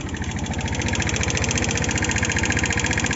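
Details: 2013 Omax 150cc scooter at 9,657 km idles with a steady, hard low knock, about four beats a second, but still rides. It has a weak battery and an undersized carburettor membrane.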